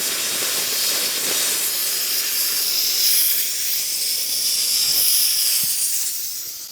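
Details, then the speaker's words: Workshop air compressor tank being drained during service: loud air-and-water hiss that slows, swells and fades instead of flowing steadily; owner suspects ice particles partly blocking the drain, then melting and letting it shoot through. "Well, that's like ice particles coming out. That scared me. So I reckon that's ice particles in there, because it's not just all coming straight out like it normally does."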